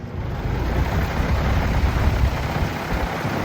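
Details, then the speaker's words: Old outdoor AC condenser unit, compressor wire disconnected, fan run alone via plunger: heavy low rumble with uneven throb from an unbalanced fan blade, apparently previously rebalanced after a motor replacement. "it has a lot of vibration. So, this thing has a lot of vibration. We're going to find out why there is a vibration. So the reason this thing was having a lot of vibration was the fan blade basically."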